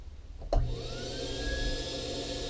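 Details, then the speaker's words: K9 II dog dryer after brush replacement on both motors: a click at switch-on, then the motor whine climbs quickly and settles to a smooth, steady pitch; the motor runs normally. "There's 2. Hey, look at that. They both work."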